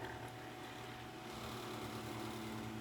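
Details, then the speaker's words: Galaxy (Lasko) 9-inch oscillating desk fan model 2154, 1990s, on high with oscillation: steady motor hum with a light buzzing rattle; owner suspects the guard cage is a little loose, not confirmed. "and of course the cage is rattling a little bit I think that's what that noise is either the cage or the that's something not supposed to be making that noise"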